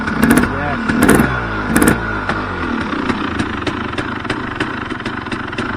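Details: KTM 300 two-stroke just rebuilt (all bearings and seals after stripped transmission gears, new bolt kit, fresh oil and coolant), first start: catches, three sharp rev blips, crisp even burble with no knocking or rattles; sounds healthy.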